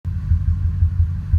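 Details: Ford 5.4 2V V8 truck, intermittent for 3 months, earlier bank 2 misfire, coil pack replaced and injector cleaner used, no codes, shakes especially in drive: deep, lumpy idle stumbling every few tenths of a second; rough idle, cause not pinned down.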